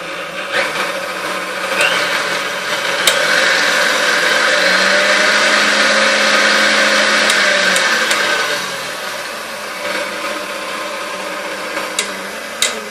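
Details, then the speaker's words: Vintage KitchenAid K5SS stand mixer before restoration, runs and shifts but smells like a hot motor: steady motor whir with a faint gritty grind and occasional clacks from the gearbox; old grease suspected. "runs it shifts well but it sounds grinding smells like a hot motor okay so let's go ahead and check that out and it does sound a little clackety in the gearbox they're not sure what that is"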